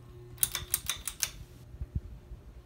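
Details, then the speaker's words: Canarm Mystic ceiling fan on high speed: a burst of sharp, uneven clicks over the steady fan hum. The noise is new and its cause unknown; the owner wonders about oiling and may replace the fan someday. "high speed I don't know why it's making that sound it wasn't making that sound like a little bit ago I guess someday I might have to replace it actually"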